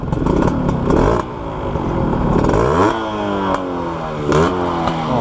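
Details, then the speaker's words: 1991 Suzuki Crystal two-stroke blipped before test ride: rises and falls cleanly, engine smooth, but exhaust note thin and raspy because the wrong muffler is fitted. "Sayang banget ya, padahal mesinnya garing banget, halus. Cuma karena knalpotnya dia salah pemakaian, jadi seperti ini."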